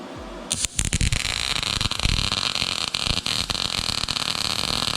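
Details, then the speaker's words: YESWELDER MIG-205DS MIG welding with .030 wire and Argon/CO2 on 1/8" plate, inductance raised and voltage adjusted: harsh, uneven crackle with irregular pops. The bead lays flatter but sounds unclean, an erratic arc. "So it's definitely laying a lot flatter, but I still don't love it. It just doesn't sound clean."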